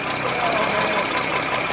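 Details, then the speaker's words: Restored Mercedes Unimog diesel just after a cold start on a roughly 103-degree day: steady, even diesel clatter at idle without throttle, no misses or knocks; a normal, solid-sounding idle. "awesome somebody put a lot of money into it dude God that sounds solid"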